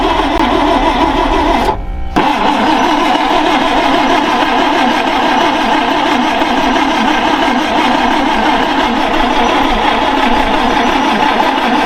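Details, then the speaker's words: Ford Falcon Ranchero and International Scout II project, revived after sitting, with a brand-new fuel filter: steady but coarse, slightly uneven running note after a brief dropout; owner suspects the carburetor needs rebuilding. "It's a brand new fuel filter, but I'm pretty sure the carb is needing rebuilt."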